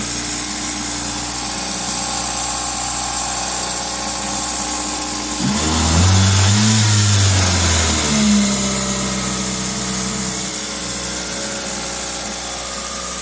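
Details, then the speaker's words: 2000 Toyota Celica GTS 2ZZ at 90 °C operating temperature: idle holds high at about 1800 rpm, throttle 11–12%, IAC duty 38.7%; owner suspects idle air control valve or vacuum leak. Not confirmed. "and that is the problem at at operating temperature at idle this thing's grabbing pretty high 1800 RPM too much so that's a problem I'm trying to figure out"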